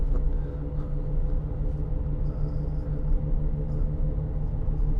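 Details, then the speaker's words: 2008 Land Rover Discovery 3 2.7 TD V6 on a test drive: constant low droning rumble under road noise, steady with speed and changing as steering load shifts; worn wheel bearing, suspected front offside. "not sure how anybody could drive around with a wheel bearing like that it would drive me absolutely insane"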